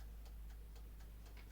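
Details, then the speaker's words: Vevor 6.5-litre ultrasonic record cleaner, mechanical dial timer: crisp even ticks about four per second over a low hum; timer running normally, audibly ticking and hard to turn back to zero. "you can hear it ticking so that's a bit of a shame"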